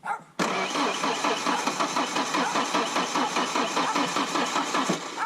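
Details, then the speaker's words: Ford Ranger 2.3 litre with a 2.5 litre cylinder head swap, first start attempt with sensors checked and very little gas in the tank. The starter spins steadily about two or three turns a second but never catches. Crank no-start, suspected low fuel. "Crank it. You hear? Might not have enough gas to run. I think it might be our gas."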